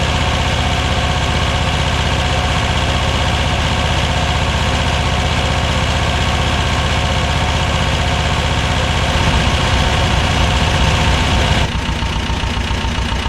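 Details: 1985 Belarus 250AS diesel tractor, revived after sitting 8–10 years: steady even clatter at fast idle, no misses or stumbles; running normally.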